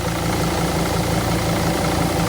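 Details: Mercedes Sprinter van at idle: intermittent low pulsing moped-like buzz over a steady idle, sometimes louder, sometimes quieter, cutting out and returning; started the night before and got very loud while driving, audible inside the cab; likely a rattle near the AC parts.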